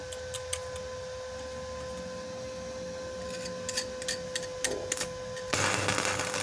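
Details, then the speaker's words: Lakoni 120E 900-watt welding inverter after repair of weak, sticking, fluctuating arc, run at about 85–100 amps: faint ticking over electronic whine then a full, even crackling hiss as the arc strikes; before repair it only ticked weakly. "jadi beda hasilnya hasil dari bunyi percikkan api nya juga beda banget"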